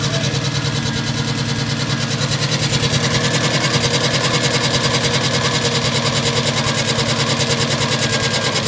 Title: Spun bearing?